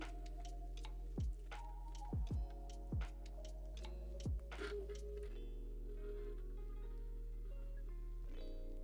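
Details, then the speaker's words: Bambu Lab A1 or P1S 3D printer in for repair, loading filament: sharp irregular clicks, about five in four seconds, over steady motor hum; extruder skipping, machine needs repair. "That's not a good sound. I'm not certain if you guys can hear that. The extruder is very upset on this machine."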